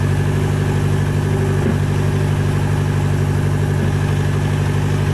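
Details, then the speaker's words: Nissan Sentra GA16 manual on fresh start-up after sitting a day or two: steady low idle with light, fairly even rattle about twice a second; owner suspects input shaft or bad throwout bearing, possibly bottom of engine, unconfirmed. "a little rattling watch him I don't know if the camera picks up that noise but that noise i believe is either input shaft or a bad throw up in"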